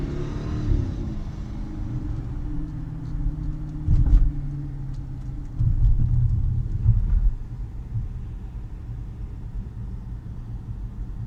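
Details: 2016 Dodge Challenger 5.7 while driving: a low steady whine over the engine's deep rumble, climbing in pitch as speed builds; cause unknown to owner.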